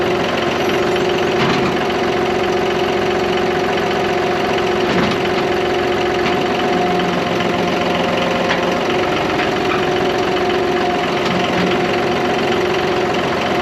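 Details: John Deere 5203 diesel tractor with 512 loader, 740 hours, which had a hydraulic problem and milky oil: after an oil and filter change it idles with a steady diesel clatter and an even beat, and the hydraulic pump does not labour. Healthy running.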